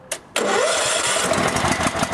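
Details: Kohler lawn mower engine after repair for starting cold but not restarting hot or warm: short crank, catches right away on the key and settles into steady, even idle; starts and runs normally.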